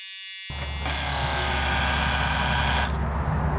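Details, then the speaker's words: Abandoned RV, fuel lift (boost) pump at key-on: steady electric buzz for a few seconds, then a clean cut-off as it shuts off when supposed to; normal priming. "That's the lift pump, and it's making noise, and it shut off when it was supposed to."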